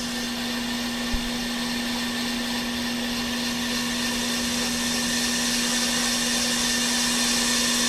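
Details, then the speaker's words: Off-the-car brake lathe machining a hubless brake rotor on rotor feed at a slow feed setting of two to three for a finish cut: steady mid-pitched hum with even hiss, no chatter or squeal; normal cutting. "So, we have to take this wheel cuz this is a weird machine and tighten it. And then it stops turning. But now you hear it. It's cutting."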